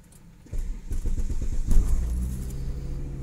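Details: 1997 Volvo 850 GLT 2.5 automatic with 174,000 km gets a brief crank and then settles into a steady, even idle; a normal start. The service light is only a reminder.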